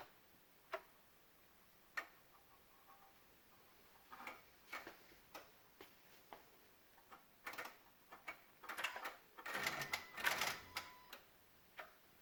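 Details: 2016 Honda Odyssey, engine off: irregular sharp clicks, one or two a second, from near the PCM and VSA control module, with Engine, VSA, LDW and FCW warning lights on; electrical clicking, cause unconfirmed.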